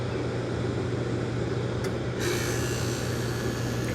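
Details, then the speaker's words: Kelvinator Masterpiece 12,800 BTU air conditioner started after a decade and a half unused, on low cool: steady low fan hum, then the compressor cuts in with a smooth added hiss, not the quietest; running normally, air near freezing. "look at that sitting for a decade and a half and it still runs I mean Merry Christmas that's awesome yeah there's not the quietest that's what it is it's pumping out air that's close to freezing"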